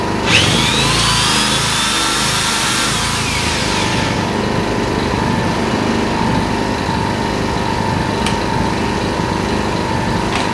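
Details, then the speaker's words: Yamaha EF1000is inverter generator, owned one season, eco mode: with a drill plugged in and running, drill whine over the small engine as it lifts revs slightly to make more power and holds a steady, even hum; normal speed-up under load. "So you might hear the engine kick in and go higher. I don't know if you can hear that, but so now it's under no load. Under load, it increases the actual RPMs a little bit to be able to generate more electricity for this drill."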